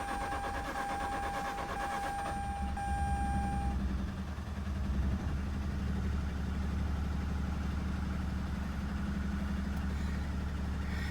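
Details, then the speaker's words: Mazda RX-8 rotary, oil added into each spark plug hole for suspected low compression: steady low cranking drone about four beats a second with rough uneven catch, runs only on starter power, vibrates with throttle, never runs on its own. "like it's running but only on starter starter power whatever that's supposed to mean and i could feel the vibrations when i hit some gas"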